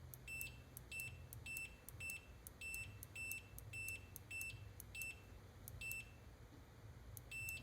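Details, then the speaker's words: Computer mouse's good right-click micro-switch, tested with a continuity meter for comparison against the faulty left switch: each soft click is met instantly by a sharp high beep, about a dozen in eight seconds; it closes cleanly every time. "And it's like no matter how softly I click it, as soon as it makes that sound, it's got continuity."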